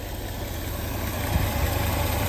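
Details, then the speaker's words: 1967 Lincoln V8 after valve lifter replacement, once lifters pumped up: deep, even idle with a smooth steady beat and no ticking from the top end where the loud lifter tick was before; a fainter driver-side lifter noise is reported. "I'm going to call this a success now that the uh the valve lifters are pumped up and they're working normally it actually sounds pretty good"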